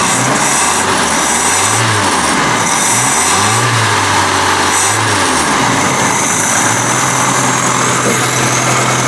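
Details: Carbureted engine with a new replacement Weber carburetor, choke powered by 12 volts, warming up before idle speed and mixture adjustment: a few quick blips with pitch swelling and falling smoothly, no stumble or popping; revving cleanly.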